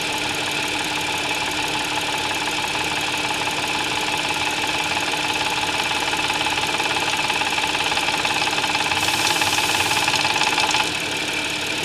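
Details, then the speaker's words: Audi S, cold start idle; noise builds gradually then fades, not constant, obvious cold, not heard warm; fast metallic rattle about two per second. "它这个声音啊，是从慢慢起来，再慢慢又没掉。循序渐进的，它不是一直响在那里，刚好撞到那个位置，它就响了。冷车的时候比较明显，热车的时候啊，昨天听不出来。"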